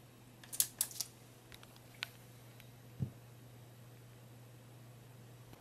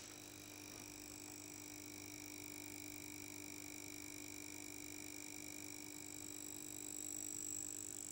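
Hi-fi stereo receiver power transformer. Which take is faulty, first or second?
second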